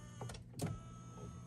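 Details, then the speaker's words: Mercedes GLK-250 (X205) steering column telescope (in/out) motor after tilt repair: soft clicks then steady even electric hum; telescoping works normally. "The telescoping still works, the in and out."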